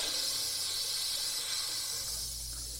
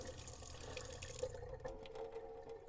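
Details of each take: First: 1978 Boler 1700 trailer being dewinterized, after tightening the water heater anode rod: steady hiss of escaping air from the faucet, then sputtering as the pump works to refill. Trapped air purging from the water heater tank. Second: 1978 Boler 1700 trailer being dewinterized, fresh water pump running at the tap after sputtering air: smooth continuous rush of water, no spits; air purged from the line, water running clear and steady.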